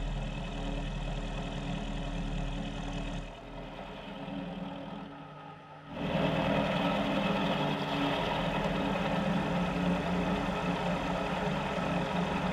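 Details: Mill spindle after repair, cutting at 1 mil depth of cut with a possibly dull cutter: steady, even cutting hum dips briefly then settles smooth without chatter or grinding, better than before repair; normal milling cut.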